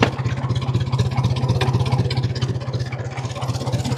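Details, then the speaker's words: 1950 Ford 8N straight four tractor in neutral, after cleaning dirty spark plugs that had caused rough running and misses: slow, steady low thudding at about 300 rpm idle, even and regular with no knock; a clean, healthy idle. "There we're idling at about 300 RPMs."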